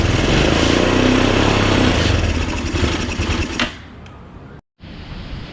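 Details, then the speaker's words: Chinese scooter, first start after sitting 9 years. It runs steadily with no knock or tick and CVT engages, then dies. The cleaned carburetor keeps spitting fuel back into the airbox; a diaphragm fault is suspected and a new carb ordered. "even after we cleaned it it was still having a problem it kept spitting fuel back into the air box intake area so obviously fuel should not be going backwards through the system"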